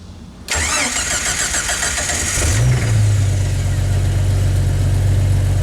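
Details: Jeep Wrangler YJ starting after its squealing fan belt was tightened at the 12 mm and 13 mm adjusters, belt showing no cracks: starter cranks briefly, engine catches and settles to a steady low idle with no belt squeal; voltage jumps up.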